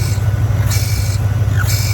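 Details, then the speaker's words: P38 Range Rover air suspension after replacing the small valve and the solenoid: a steady low compressor drone with repeated sharp air hiss bursts. It still leaks through the valve block, so pressure won't build. "all right so i've replaced the little valve as well as the solenoid as you can see it doesn't sound"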